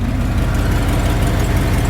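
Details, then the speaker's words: Truck idling with a rapid, even puffing tick on its low rumble from an exhaust leak, plus a belt chirp. "can hear my exhaust leak he can hear my belt chirp"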